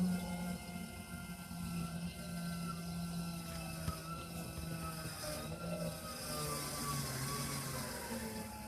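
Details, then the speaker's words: Suburban IW60RL on-demand water heater with recirculation loop and half-gallon tank in a 2021 Alpine RV, after replacing the recirculation pump and bleeding air: steady low hum with faint water gurgle, pump running smoothly and healthy. "Now this pump does run like most of the time because it's recirculating hot water through your system."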